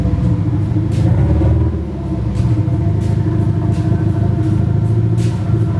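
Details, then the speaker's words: Nissan SR20 in a 240 on first start after engine install, open downpipe: loud, throaty run with uneven stumbles and dropouts in the exhaust beat while revving; engine misfire, cause unconfirmed, owner suspects bad original gas. "she runs and sounds like I miss fires yeah definitely misfires it could be a number of things could be bad gas"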